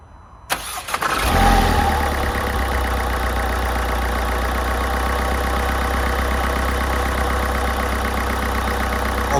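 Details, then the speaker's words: 2014 Mercedes A180 salvage project, run briefly with little coolant, no intercooler fitted, airbox mountings broken; even idle with loud rapid airy chuffing about four per second from the turbo intake, engine otherwise sounds sweet. "Obviously I can't run it for long, it's got no water in it, but that chuffing you can hear as well, quite loud. It hasn't got an intercooler on it, has it? But engine sounds absolutely sweet."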